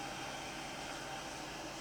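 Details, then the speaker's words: DPS-375SP digital timebase corrector at power-up: a steady, even airy hiss with a faint constant tone and no ticking or rubbing. Both cooling fans are running normally, just loud. "let's start by just powering up they're quite noisy the fans on these onoff switch sounds like both fans"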